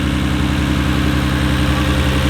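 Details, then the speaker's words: 1993 Nissan Skyline R32 GT-R idling in neutral, with HKS Super Power Flow intakes and turbos reportedly N1. Steady, even low thrum with no misses or shake; the owner's hand rests still on the car. Smooth, healthy normal idle. "there's like no vibrations on here at all look at my hand my hand is still i could probably put a coin on here like really nice movement"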